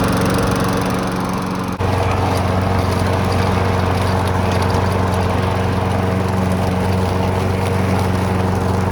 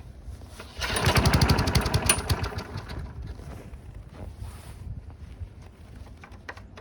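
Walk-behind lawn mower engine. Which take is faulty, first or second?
second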